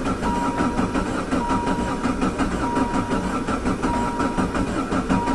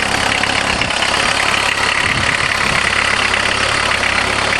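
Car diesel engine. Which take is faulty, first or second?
first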